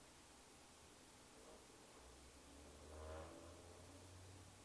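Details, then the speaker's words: Variable-speed furnace in indoor unit test mode during a maintenance visit after cleaning: quiet hiss, then a soft low hum swells as the indoor blower fan starts smoothly with no rattle or scrape, followed by the draft inducer motor; normal blower start. "and what i'm hearing is i can hear that my indoor fan has come on and now i can see see my draft and juice motor has come on right now"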